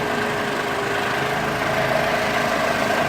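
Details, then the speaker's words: 2004 Mercedes SLK230 at idle, not yet driven, three fault codes: lumpy, uneven idle with stumbling pulses over a hissy background, running pretty rough; misfire suspected, cause not confirmed. "I don't know if you can sell this were running pretty rough"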